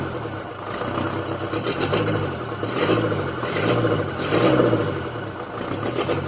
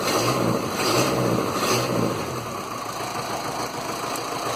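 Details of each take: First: Land Rover Series 2a 88, 2.25 diesel, first start after glow plugs, lots of blue smoke: lumpy uneven idle beat about once a second; misfire, owner suspects an injector, plus a knock possibly a valve, unconfirmed. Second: Land Rover Series 2a 88 with 2.25 diesel, first runs after setup: steady, even diesel clatter at idle with no hunting. Some blue puffing smoke is visible; owner suspects an injector, possibly piston rings. Normal diesel idle.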